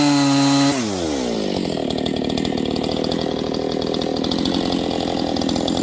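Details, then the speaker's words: Husqvarna 268XP chainsaw on its first cuts during break-in, 24-inch bar with full-house chain, buried in a log. Revs slow down and speed up unevenly as the fresh engine starts to wake up. "You can hear it. It's kind of slowing down and speeding up. This thing's starting to wake up."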